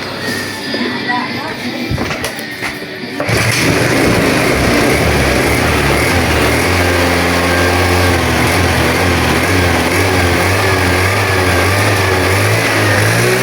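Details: Honda Vario 110 scooter being checked for loss of ignition, with a suspected weak battery. After kick-starting it catches within a few seconds of cranking, then runs and revs evenly with a clean, steady note and no misses.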